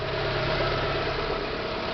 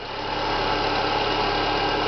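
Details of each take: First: Renault Clio 1.6 16V idling with the accessory belt removed, fitted for diagnosing a noise suspected at the alternator pulley, tensioner bearing or water pump: smooth, steady idle with no whirring or chirping, and the noise has stopped. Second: Renault Clio 1.6 16V with K4M engine at idle, constant rough whirring hum over the engine near the alternator pulley region: characteristic bearing noise, suspected tensioner or water pump bearing, to be isolated by removing the accessory belt.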